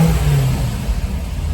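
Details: C5 Corvette Z06 back running after repairs, RPM gauge not working: deep, strong V8 rumble rising and falling with throttle blips, smooth and even with no knocks or ticks; normal revving.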